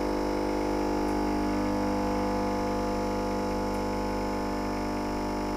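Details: New Nivona 690 coffee machine brewing at fine grind and strength level five: steady, even hum at constant pitch with no knocks or rattles; brewing normally.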